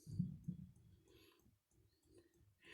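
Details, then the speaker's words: Diesel heater dosing pump priming at startup after installation in a travel trailer: soft, low, regular clicks in a quiet space as fuel is drawn up the hose to the heater, which was already mostly primed; normal operation. "So you can hear that clicking from the pump here. It takes a little bit of time to get the fuel up to the hose and up to the heater."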